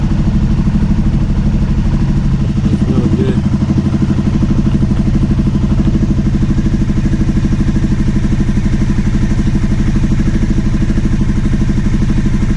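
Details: Steady idle with a smooth low beat and no surging on a 2009 Aprilia Shiver SL750, after both air pressure sensors in the airbox were replaced. Idle had jumped up and down after about a minute running. Not the evap or tank air hose.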